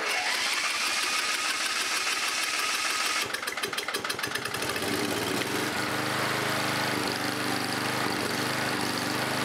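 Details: 11HP Briggs & Stratton engine after carburetor cleaning, started via bolted-on starter: cranks a few seconds, then runs with a rough, uneven rapping knock under the exhaust and smokes; cause unknown, rebuild planned.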